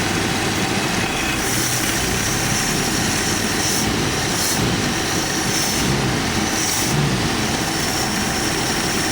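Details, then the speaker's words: Carbureted AMC Jeep engine, all emission devices connected, just started on choke: settled idle with low rumble and gravelly whir from the spinning air pump; on full idle circuit, choke opening slightly early, idle healthy. "Every emission device is still hooked up on this car. And you actually hear the air pump spinning. That's what that gravelly sound is. So we're on full idle circuit, guys."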